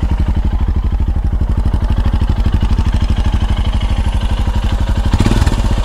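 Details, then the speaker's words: Royal Enfield Himalayan Euro 5 after inlet and exhaust valve clearance adjustment, mic right over the engine: single-cylinder thumping at even idle about three beats a second, no tapping on top; valve train sounds healthy. "I think that sounds okay"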